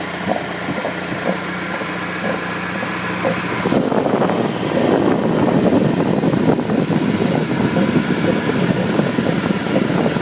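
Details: 1998 BMW E46 318i (AL19, M43 B19 engine): while running, a dull "go go go" knock about three times a second that grows louder; pulley area suspected, and replacing the belt tensioner and roller did not fix it.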